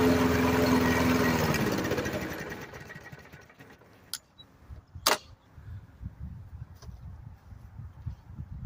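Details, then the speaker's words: 1990s Murray 5 hp Briggs & Stratton lawnmower after a carburetor swap, primed: engine catches and runs roughly, then fades and dies with weak sputters; it runs at most about a minute, fault remaining elsewhere despite hoses checked. "As you can see, the engine will start. I think the longest I got it to run was about a minute, but yeah, it's not. There's something wrong with this lawnmower."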